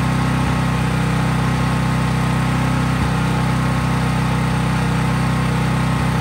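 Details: Craftsman 5000-watt generator after a cold start outdoors, at constant governed full speed with only an LED bulb attached, so unloaded: a steady, even low drone without hunting or misses. Healthy, normal no-load running.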